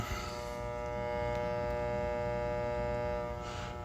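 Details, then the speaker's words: Goodman furnace on a no-heat call, thermostat calling for heat with jumpers in place: steady electrical hum with no winding-up or rushing air; the motor is powered but seized and not turning. "Power is definitely getting to this motor, but it's not turning. That's not good."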